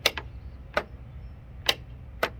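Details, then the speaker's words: John Deere D155 mower that won't start, battery charger on at 10 volts, safety switches working: four sharp single clicks from the starter solenoid with each key turn, current drawn but no cranking; solenoid clicking, no crank, solenoid replaced. "it's drawing current and you can hear the click which is coming from the solenoid which is right right there so let's do it again the solenoid is clicking in"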